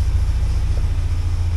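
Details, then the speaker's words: 1979 Porsche 924 running: steady, even low rumble; fuel pump still audible but not howling; engine sounds settled and normal. "H nice and nice and quiet the U fuel pump yeah still makes noise but not a bad noise not it's not howling like trying to catch something on the moon and it seems to be running fairly fairly nice"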